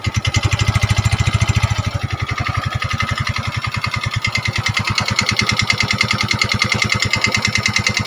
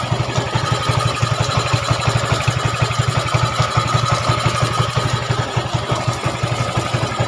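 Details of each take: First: Yamaha Mio 125 automatic scooter: harsh, clattery idle with uneven noisy firing and heavy mechanical rattle after a recent block/piston replacement; still smokes and burns oil (a week's oil nearly gone), worn piston rings and rocker arm seats. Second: Yamaha Mio 125 scooter after top-end rebuild (new cylinder block and piston) for a rough, smoking, oil-burning engine, idling in rain: even, steady low thump with no ticks or knocks, rain hiss behind; smooth, healthy idle.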